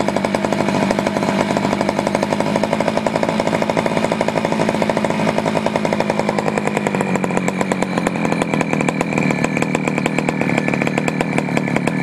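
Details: Poulan 4200 chainsaw, warmed up after a cold start, reported running a little lean: steady rapid idle with crisp, even pulse that shifts slightly in pitch midway as the bottom low-speed screw is turned. Lean low-speed mixture suspected.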